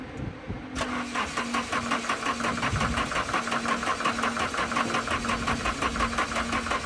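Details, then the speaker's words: Nissan 240SX, first start attempt on the new chassis wiring using a starter button because the key wasn't working. Steady starter churning at about three compressions a second with no firing; crank no start, no spark, and the owner suspects a weak battery. "So, all the wiring is done, but for some reason, I cannot get this thing to start to save my life."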